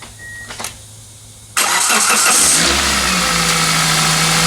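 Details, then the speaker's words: Roughly 20-year-old Toyota with about 250,000 miles and no maintenance records, cold start after sitting: cranks, catches and idles with a light quick metallic rattle at first; rotational source suspected as pulley, bearing or timing chain, not confirmed. "you can hear a little bit of a sound from this general area over here which is definitely rotational might be a pulley might be a bearing could be a timing chain uh it does have a little bit of a rattly startup when it's been sitting"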